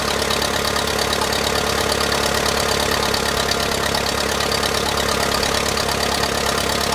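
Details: 1959 Case 300B (311B) tractor with 4-cylinder gas engine, parked 10 years outside after overheating from a stuck thermostat, running: steady, even beat with no misses or stumbles; firing properly.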